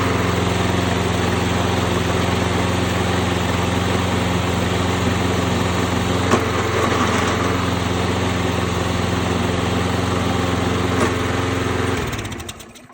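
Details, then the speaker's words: Toro Recycler push mower that had been surging, after carburetor clean: small engine holds a steady, even pitch about twelve seconds without hunting or surging, then winds down; running good, normal steady running. "It's running good. Success."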